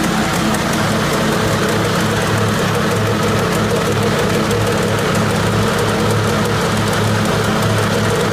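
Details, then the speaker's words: 1980 Jacobsen Turfcat 60-inch mower running: steady engine drone with a constant loud rattle as the PTO shaft, with its bushings missing, bounces around freely in its housing, wearing the shaft end. "the issue is if there were no bushings and the shaft the shaft was free to just bounce around that's what all that racket was you can hear in the video"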